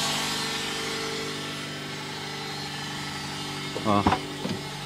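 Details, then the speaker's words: 2008 Nissan Versa CVT with codes P0746 (solenoid A) and P0868 (low fluid pressure). A steady droning whine with a brief clunk near the end. Blamed on dirty fluid and low line pressure; fix is pan and filter cleaning plus NS-2 fluid. "oh it's a solenoid again it's the most fluid very slow okay this is the most common like common problem of this Nissan Versa so I'm just gonna let you hear the sounds"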